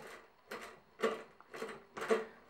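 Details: Older Briggs & Stratton flathead engine, equipment stored outside, clutch fixed two years earlier: short scratchy squeaks about twice a second as the very stiff starter ratchet clutch is turned by hand, probably from a rusty shaft, no grease suspected.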